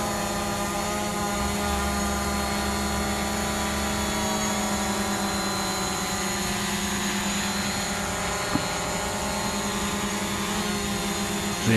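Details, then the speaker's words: DJI Mavic Pro hovering on stock propellers, rpm holding around 5,570 even when panning or moving forward and back; steady even buzzing whine, pitch nearly constant through gusts and gentle moves, healthy stable hover. "very little movement in the RPM there even when panning its you know staying around quite 5570 while forwards and back that's the standard props"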